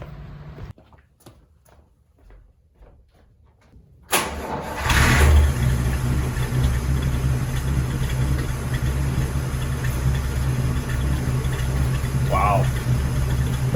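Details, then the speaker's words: Carbureted engine started after cracked cylinder head replacement and full ultrasonic carb clean and rebuild: catches almost instantly into a steady even idle, no misses or knocks; quickest start ever, sounds smooth. "definitely the quickest start ever from this car sounds good smooth"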